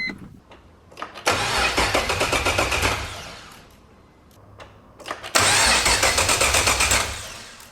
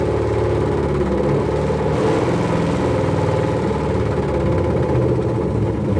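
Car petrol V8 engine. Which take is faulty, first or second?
first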